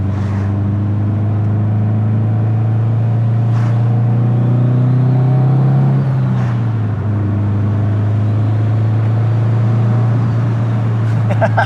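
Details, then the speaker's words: Built 2005 Subaru STi on first drive, under load as revs climb: deep steady drone with uneven, choppy pulse and loud turbo; rough running through the rev range, cause unknown. "See, like, getting into the RPM band just feels incredibly choppy right now."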